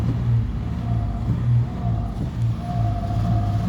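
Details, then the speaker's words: Toyota Highlander with cylinder 1 and 5 and random multiple misfire codes, ignition coil code remaining, pedal held down: engine drones low and uneven, cannot rev past 2,000 rpm. "Holding the pedal down. It can't go past two. See what it's doing. Can't go past two."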